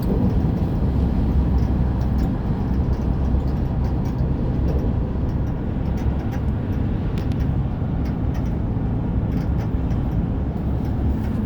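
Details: 2008 GMC Sierra 1500 Crewcab 5.3 at 74,500 miles, heard while driving: heavy low road rumble with faint irregular light rattling ticks, present only when moving, with no steering or engine issues; the owner wonders about a pulley or belt.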